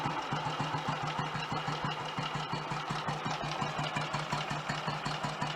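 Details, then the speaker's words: Royal Enfield Model G 350 after restoration fixes: slow, even single-cylinder idle thump with light valve and mag-dyno gear-train chatter, quieter than expected; sounds ready to ride. "That sounds so much happier with life. I'm surprised it's that quiet actually, because the gear train up to the mag dynos can be quite noisy in themselves."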